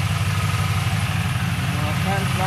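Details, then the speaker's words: 1999-02 Chevy/GMC NBS truck V8 just after an electric fan swap, started after battery disconnect: smooth, even idle with steady fan rush, no ticking or stumble; normal idle, fans working. "oh man hear that seems like it's working on"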